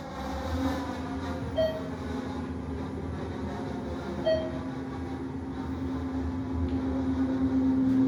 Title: traction elevator with weird noise LOW ON OIL